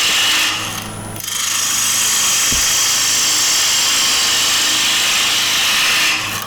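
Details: Bowl gouge cutting the outside of a square-edge bowl with the bevel kept rubbing on the way out: a steady, even hiss with no chatter or skipping, so the bevel rides cleanly through the cut.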